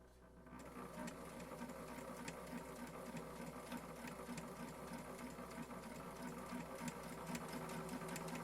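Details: Janome 525S pedal sewing machine that hummed when starting to sew, reassembled and run set to 2; the humming was put down to dust and the needle. Quiet, even stitching chatter at about three beats a second with no hum or strain: the machine runs freely now.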